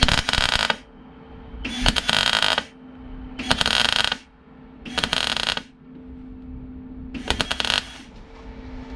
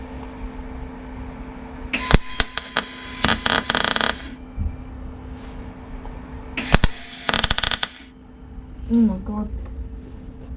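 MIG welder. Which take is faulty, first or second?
second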